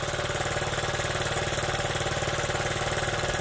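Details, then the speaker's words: Honda Z50 single-cylinder on first start after a new carburetor and new spark plug (carburetor was the known fault): steady, even idle, about three beats a second, no stumbles. Normal idle. "but I knew it was the carburetor, so when I put this new one on here, boy, that thing runs good, huh?"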